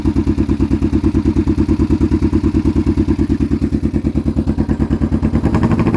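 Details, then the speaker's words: Kawasaki Vulcan EN500 fitted with new glasspack-style exhausts: loping V-twin idle with sharp, regular pops about three a second coming from one exhaust side; exhaust gaskets needed. "yeah you can hear the popping coming out of one side exhaust"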